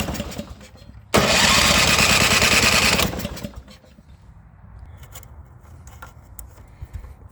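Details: Snow blower petrol engine unused for a long time: about two seconds of loud cranking that never catches; no-start from carbon-clogged carburetor jet, fixed by removing the float bowl and spraying carb cleaner in the orifice.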